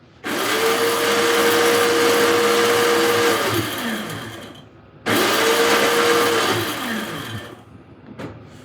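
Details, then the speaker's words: Trash-day Toro CCR3650 snowblower, 2-cycle R-Tek engine, carb cleaned and new fuel lines, fuel mixed 80:1 (calls for 50:1), electric start: two free-spinning whine bursts of about three seconds each with no cranking; the starter works but the Bendix isn't catching. "the starter works, but the Bendix isn't catching."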